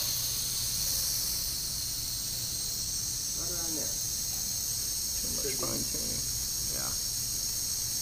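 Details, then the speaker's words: Foxboro DP pneumatic transmitter during span calibration with about 34 inches water column applied: steady high airy hiss from the relay air bleed path, no pulsing; normal relay bleed. "and of course you can hear the hissing in the relay the air bleeding path"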